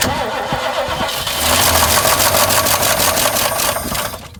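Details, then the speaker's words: 1968 Mustang that sat 8 years, with cleaned points ignition (condenser suspected) and fresh battery: steady cranking at about three turns a second that never catches beyond a tiny kick; the carburettor is suspected of being starved of fuel. "Probably burnt off the fuel light dump there. Yeah. Got a tiny kick though. I was running for a little."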